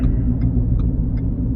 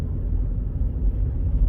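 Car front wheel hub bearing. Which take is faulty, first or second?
first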